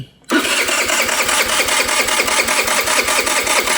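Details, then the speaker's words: MVP 49cc Chinese scooter revived after carburetor, intake, spark plug and coil replacement, fed from a temporary external fuel tank: catches straight away and settles into a quick, even buzzing idle; normal start and idle. "That sounds better already."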